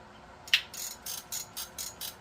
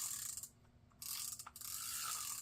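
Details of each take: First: Garcia Cardinal 754 vintage spinning reel: rapid, even, high-pitched clicks, about three a second, as line pulls off the spool; drag is clicking and braking normally. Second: Garcia Cardinal 754 vintage spinning reel after anti-reverse repair: short bursts of ratcheting clicks as the handle turns with a slightly rough gear grumble; bearing good, play in the pinion shaft.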